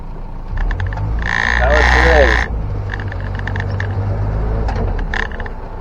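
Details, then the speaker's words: 1961 Land Rover Series 2 109-inch four-door station wagon on a drive: quick bursts of light rattling, about four a second, over road and engine rumble; the tailgate rattles around and needs better rubber bumpers. "It's the tailgate rattling around. It just needs better bumpers, rubber bumpers."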